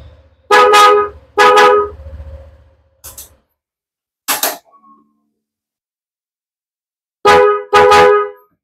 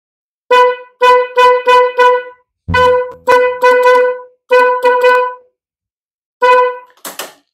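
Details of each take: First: Honda ADV 150/160 paired snail horns after repair: several short, loud blasts with both tones sounding together, each starting and stopping cleanly; both horns work normally. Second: Honda ADV 150/160 paired snail horns, low and high tone: repeated short honks on one single clear tone without the fuller chord, as only one horn sounds; a broken wire or faulty horn is suspected.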